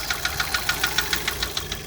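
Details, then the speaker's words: VW MK5 Jetta GLI FSI, replacement cylinder head after seized cam journal, first run after sitting three years: sharp even light ticking over a soft idle, no bottom-end knock; loosely bolted rocker cover rattling plus injector tick. "It's coming from the rocker cover. I didn't like fully bolt it down, so all that noise is coming from that. But yeah, no like bottom end noise. It's like all you hear is the injectors."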